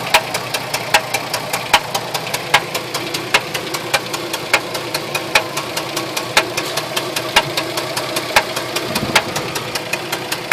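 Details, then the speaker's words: 2004 Jeep Liberty, automatic 4x4, idling: sharp, crisp knocks over a steady idle, about one strong hit a second, suddenly appearing from the engine. The cause is unknown. "it's making weird knocking sounds out of nowhere"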